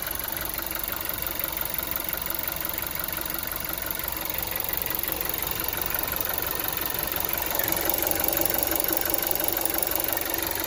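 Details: Volkswagen Golf 7 TSI engine at steady idle with a light, fairly regular knock about three times a second over the engine hum: engine knock at idle, cause unknown.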